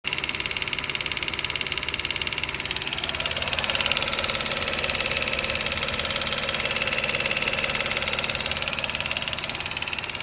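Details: 2011 Lexus IS250C at idle: fast, even, light ticking, roughly three per second, over a steady idle. This is normal engine tick, nothing wrong.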